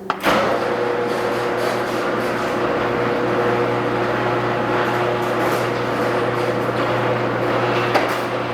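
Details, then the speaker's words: Garage door after replacing all 12 old metal rollers with nylon Dura-Lift rollers: a steady low hum with smooth, even rolling and no clatter or squeal. The door now runs quietly. "For under $30, you can make your garage door sound brand new and save years of strain on the opener."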